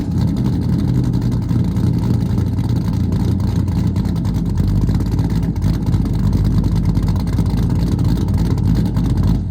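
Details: Freshly built small block V8 with Comp Cams XE268 cam in an '85 C10, after cam break-in, timing and carb not yet tuned: deep, choppy burble with lumpy cam lope and throttle blips, running healthy and even.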